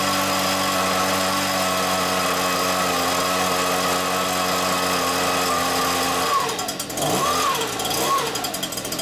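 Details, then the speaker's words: Stihl BR86c leaf blower after rebuilding the bottom-end crank bearings (failed from incorrect two-stroke mix), with the carburettor cleaned: a high, steady two-stroke buzz that swoops up and down cleanly with the throttle. The engine runs healthy. "Well, it definitely runs. Time to open the windows up."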